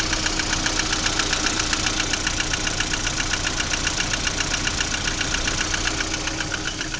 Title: Стук двигателя приоры.